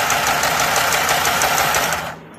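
Quick, steady clatter of the needle mechanism at an even pace, then it stops after two seconds; machine is running smoothly.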